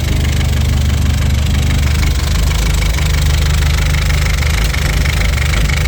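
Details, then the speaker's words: Audi A4 B7 1.8T 20V after a low-boost test drive, smoke from oil catch can and no oil movement seen from cylinder head; loud, deep idle with uneven stumbling thuds, knock and misfire at idle, cause unconfirmed. "The reason for that is that it started to make a funny noise, and then as well as it started to misfire."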